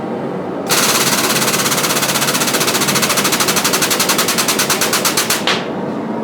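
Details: Homemade blacksmith forging press on a test squish of hot steel: rapid, even pulsing chatter runs steadily through the stroke then cuts off cleanly; press working normally.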